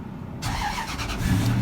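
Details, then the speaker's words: 2001 Toyota Tundra Limited work truck, 241,787 miles, cold start: silence then engine catches at once and settles into steady even idle with no misses or knocks; fires right up, no oil burning or blow-by. "Listen to it. Holy cow, thing runs good. I mean, fires right up and runs like a champ."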